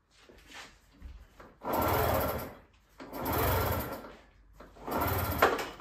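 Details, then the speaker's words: Aprilia RS4 50cc two-stroke turned by hand through the ignition cover with no spark plug fitted: three slow, rough scraping grinds. The engine binds and has re-seized, though the owner claimed it ran fine. "bon je vous laisse apprécier le dou bruit"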